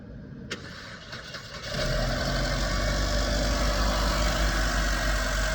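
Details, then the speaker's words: 2010 Mercedes E250 W212 with intermittent no-start, started by jumping the starter solenoid pins to bypass the ignition system: short crank, engine fires promptly and settles into a steady, even idle with no stumble; normal start. "And we've started our car."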